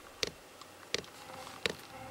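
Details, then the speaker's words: VEVOR 27,200 BTU diesel air heater, 12/24 V, first startup: after the glow plug heats, sharp single dosing-pump ticks about every 0.7 s over a quiet room, normal startup pulsing. "there it goes now fuel pump's ticking in I think it was waiting for the glow plug to heat"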